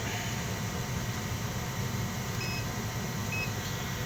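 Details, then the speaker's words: Furnace with a broken igniter, lit manually to check for other issues before parts are swapped: an even, unbroken low roar with a faint hum and no sputter or surging. The burner is burning steadily. "The igniter on the furnace isn't working, it's broken, but we're going to manually light this thing, fire it up, and make sure that there's no other issues with it before we start swapping out parts."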